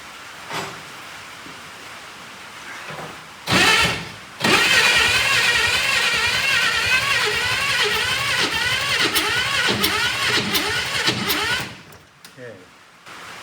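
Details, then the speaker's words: 1965 Chevrolet Corvair Corsa 4-speed, sat 51 years, first start attempt with carbs primed with chainsaw gas: starter cranks steadily while engine coughs and sputters unevenly, won't catch; firing order suspected wrong. "Kind of sounds like the firing order is not right, which is Well, it could be. Let me try once more. But I think that's the problem."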